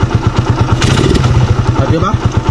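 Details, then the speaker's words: Raider 150 motorcycle idling right after a local aftermarket spark plug was fitted: uneven thumps about eight a second with stumbles and a lumpy beat. Misfire, engine not burning fuel cleanly. The plug is suspected, not confirmed. "Rinig nyo naman. Ayan ah. Diba? Naririnig niya. Under man siya, pero ito nga siya, oh. Hindi niya kayang sunugin"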